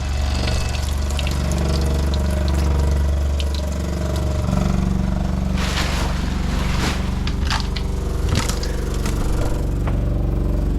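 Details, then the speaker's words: Vintage Avion trailer's 12 V, 4.6 A water pump on a 5 A fuse, running with water in the tank: loud steady drone with uneven sputtering and splashing. The pump is pushing air through the lines before water arrives. "And there goes the water going through the system. You can hear the air going through."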